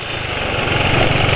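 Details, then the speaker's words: Motorcycle engine at steady idle after adding Sabrina cooking oil as additive to Kendall GT1 oil: coarse, gravelly clatter over low exhaust beat, quieter than other bikes but fairly rough; owner judges Sabrina not as good, though better than Bimoli. "Hai Suaranya kayak begini masih lebih senyap dari motor lain tapi"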